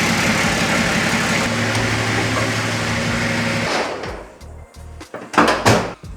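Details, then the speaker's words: Nissan GQ Patrol diesel after the two loose top gearbox bolts were tightened, fixing engine-gearbox misalignment: a steady, low, even idle with no gearbox scraping. Runs cleanly; fixed. "She's running like an absolute dream. Best of all, it's not making that absolutely disgusting scraping sound anymore."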